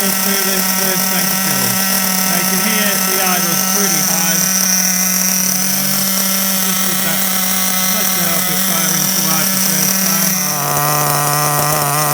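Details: Kyosho MP9 TKI4 nitro buggy, new engine at first start before break-in, idle screw turned up, car on casters: high, buzzy, steady, even idle with constant pitch and no misses or surging. Normal idle.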